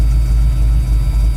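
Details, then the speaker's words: 1985 Ford F-150 with a new HEI distributor replacing a failed MSD/Holley unit, cold at 120° and warming quickly, idle coming down at 21% IAC. Smooth, even low rumble with steady firing, no knocks or misses. Normal warm-up fast idle. "coming down on idle we're at 21% iak 120 deges we're heating up pretty quick"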